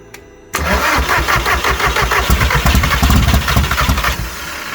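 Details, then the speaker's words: ABT Audi TT, unused for years, old fuel, after a new cambelt: at idle a loud puffing tick rides each firing pulse. Exhaust leak where the flexi pipe has disconnected between the manifold down pipe and main exhaust; the engine itself sounds fine. "you can see this flexi pipe here which is the exhaust has actually become disconnected you can see that whole thing moving so that there isn't actually a proper join in between the down pipe from the manifold and the main exhaust"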